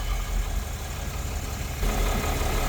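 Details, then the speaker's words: Truck after radiator and coolant line repair, first start to check for leaks: low, even idle rumble with a smooth, steady beat and no misses or knocks while it warms and pressurizes; normal idle. "so far so good. We'll let it heat up a little bit, pressurize."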